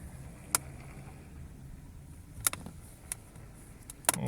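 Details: Lada Vesta SW Cross door handle squeak: sharp plastic clicks end in a short high squeak as the handle is twisted, still present after generously greasing it, so that fix failed.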